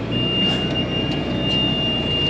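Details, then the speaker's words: Planter monitor on a Massey Ferguson planting tractor giving a continuous high-pitched beep over the engine drone because the PTO was not engaged; beeping stops once the PTO is on. "He's like, everything just won't stop beeping. Well, you forgot the PTO. Now we're good. That looks a lot better. No more beeping."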